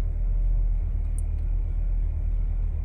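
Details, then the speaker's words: 2016 Chevy Cruze 1.4L Ecotec turbo run low on oil, reduced engine power disabling throttle: low lumpy idle that never settles, engine shaking violently; sporadic idle from failed VVT solenoid and camshaft sensors. "has a sporadic idol to it look at that i mean it's not as pronounced as the camera showing i feel that it's shaking violently"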